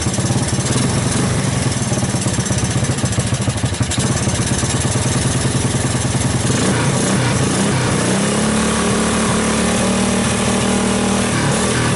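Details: 1984 Honda ATC 200S single-cylinder ATV after long storage, started with starting fluid through the choke: lumpy, uneven putter that stumbles and picks up again with no steady beat; rough running.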